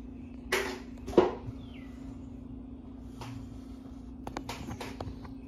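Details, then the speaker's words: 52" Harbor Breeze Lakeside II ceiling fan before restoration, runs only on low at all three speeds, downdraft: quiet constant low hum under a few handling clicks, fan turning slowly; bad, cracked, partly melted capacitor. "it has a bad capacitor it's it's very bad it has couple of cracks in it and it got melted it got melted a little bit yeah and it makes a humming noise makes a the humming noise is a little bit loud"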